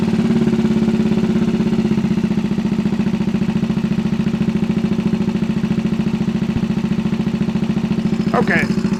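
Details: 1964 Honda Super Cub CA102 after full top-end rebuild: small single putters along at a steady, regular beat, no misses or rattles; running clean and even.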